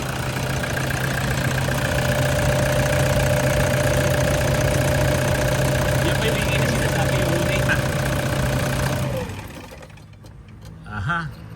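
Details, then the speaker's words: Overheated diesel engine with oil-throwing turbo and an oil-filled intercooler, idling: steady low drone with thin whine that dies at shutdown; noise reportedly fades after 10–15 minutes; worn turbo bearing. "Ito sira ito. Itong bearing na to sira yan ha."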